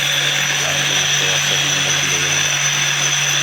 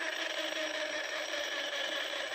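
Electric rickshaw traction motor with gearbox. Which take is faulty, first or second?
second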